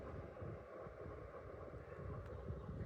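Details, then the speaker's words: 12-year-old ceiling fan with oak-style blades, running on high: soft, steady whoosh of wind noise with no ticking; runs smoothly and sounds healthy. "can hear it. Wind noise. Lovely run of this thing."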